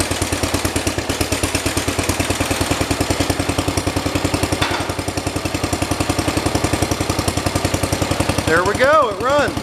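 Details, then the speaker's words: 1973 112 tractor with Kohler K301 single-cylinder, after head gasket replacement and valve adjustment: even quick thumping beats at a steady idle with no misses or knocks; idling smoothly, better than before. "runs. Cool. Seems like it's idling a lot better after I adjusted the valves."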